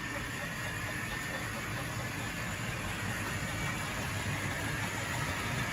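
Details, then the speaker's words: Tri-ang Hornby R.259NS Britannia model loco on its original tight motor: steady, busy whirring buzz with no clear knock, sounding noisy; owner hopes it may quieten with running in but plans to swap in a 5-pole motor. "Maybe it will quieten up as it runs in, but to me it sounds a little bit noisy."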